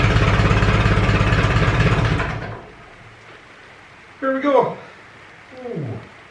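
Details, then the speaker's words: Ferguson 20 petrol/TVO tractor, sat 10–15 years, after carburetor cleaned (needle valve seating, float free): steady even low putter about 3.5 beats per second, then shut off; healthy idle. "it'll hold the water long enough to we can f it up and let the engine idle up a little bit longer"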